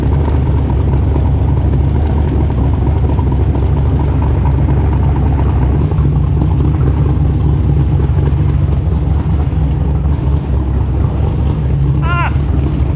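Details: LS V8 (LS3 tags) in a rock buggy build, started after start prep, owner's tune loaded, header hot: deep, steady, even V8 burble at idle. Ran and idled okay, better than before; small leak noted, transmission fluid likely still low.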